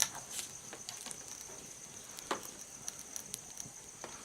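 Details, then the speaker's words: Novelty fire-effect light bulb crackling and popping irregularly over a faint high whine, like fire; same in a different holder, so the bulb itself is faulty. Faulty bulb crackling. "You hear it it's crackling like fire. That's not good."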